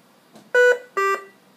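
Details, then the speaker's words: V60 BiPAP ventilator switched to internal battery backup: two short clean two-tone beeps about half a second apart, a low-priority alarm, reset afterwards. "all that's telling me is dude your own battery backup now low priority alarm alarm reset I'm good to go I on battery power"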